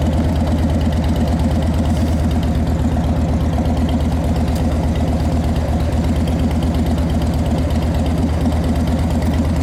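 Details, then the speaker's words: 2010 Harley-Davidson Dyna Wide Glide, fuel-injected V-twin: deep, loping idle at a steady rhythm of about three beats a second that never stumbles, with the fuel injector audible. Normal, healthy idle. "Love these fuel injected bikes. They're so easy. You can hear the fuel injector do its thing, and"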